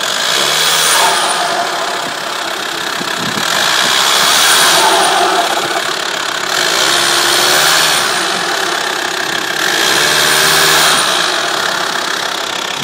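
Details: TDI diesel idling with a rough, hissy clatter that swells and fades about every three seconds; strange engine noise, source not identified.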